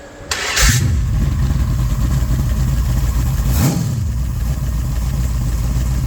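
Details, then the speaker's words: Fresh-built small-block Mopar 408 (1989 LA roller block, .030 over, Speed Master heads, Comp 20-811-9 mild hydraulic roller cam, Comp roller rockers, 9.9:1) for a Cuda; brief crank then steady, deep, even idle, no knocks or misses; normal idle. "It's a relatively mild cam, so he'll be able to run power brakes and all that kind of good stuff that he wants, but it still is decent idle and it's going to make good torque, and it'll work good for the heavier CUDA."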